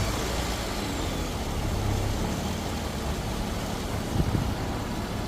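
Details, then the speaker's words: Lexus GS300 with a no-crank, no-start fault (ignition on, engine not turning), after the starter was bench-checked and refitted: starts properly, steady low rumble with even tone, no knocks or misses; normal idle. "अब जैसे ही गाड़ी का अंदर fix किया गाड़ी बिल्कुल सही start हो रहा है"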